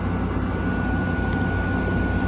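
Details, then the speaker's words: 2016 Frigidaire 5,000 BTU window AC, mechanical controls, coil condensing and sweating: steady low even hum, no rattles or knocks; compressor nearly silent, running smoothly and normally. "So yeah, this one does a very good job, and as you can hear, the compressor on this thing is like silent."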